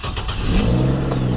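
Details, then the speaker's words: GMC Envoy, over 200,000 miles, after a new computer install: quick crank catches at once, flares briefly, then settles to a smooth steady idle with no knocks or misses; healthy engine. Fan clutch code sometimes appears, replacement pending. "Give you a listen to it out here. Man, it's a good sounding engine for over 200,000 miles."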